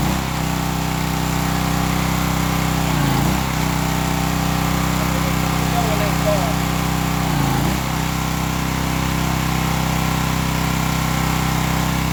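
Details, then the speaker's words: Old Craftsman pressure washer with pump on, water supply connected: steady, even engine drone with a brief dip about every four seconds as the pump loads; running normally, pump confirmed working. "that to me lets me know the pump's working on I'm good positive repair there"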